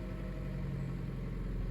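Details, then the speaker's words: 2014 Chevy Cruze LT 1.4L Ecotec idling after a tune-up with Autolite iridium plugs: quiet, smooth, steady idle hum with no stumble or tapping; it sounds a lot better, a normal healthy idle. "And there she goes. Fired right up. Does sound a lot better."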